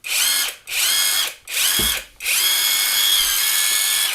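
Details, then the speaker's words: RUYIKA 21V 460Nm cordless brushless impact wrench, metal gearbox, just after greasing the gears: four smooth high-pitched motor bursts, last held longest, even whirring with no grinding or rattle; normal operation. "Oh yeah, flipper. Yeah, it's powerful, this is, believe it."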